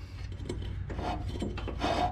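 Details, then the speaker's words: Yardsman lawn tractor with 15.5 hp Tecumseh engine, engine off: slow dry rasping grind as the mower blade spindle is turned by hand; spindle bearing almost seized, blades smoked when engaged earlier, needs repair before use. "spindle is almost ceased so this is gonna be another job I'm gonna have to be taking care of before I could use this tractor"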